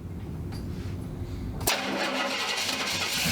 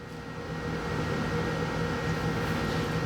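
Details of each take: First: 1970 Pontiac Grand Prix SJ V8 after cam break-in, started next day once cooled, no throttle: brief crank, fires instantly, settles into a steady even idle with a deep lumpy beat; normal cold start. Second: 1970 Pontiac Grand Prix SJ V8 on first startup after a rebuild, before cam break-in; uneven stumbling rumble with irregular misfiring; timing suspected to be 180 degrees out; rough running on first start.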